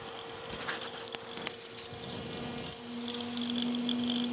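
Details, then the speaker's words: Red Bull mini fridge, original cooling fan tested out of the unit lying on its side: steady hum with a second lower tone joining, light irregular ticking; fan is noisy, worse on its side than upright, before replacement. "hopefully you guys can hear how noisy that guy is and he's not too bad when he's standing up but when he's on his side like that yeah so that's pretty noisy"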